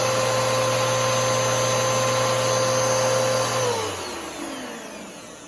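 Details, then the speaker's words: New Bissell PowerForce Helix 3313 vacuum runs with a steady high motor whine at constant pitch, then a smooth falling spin-down at switch-off; the motor sounds normal, with a higher tone but lower pitch than the older 2191. "all right so anyways this is what the motor sounds like on the new Bissell Power Force Helix 3313 that's what the motor sounds like on the 33113"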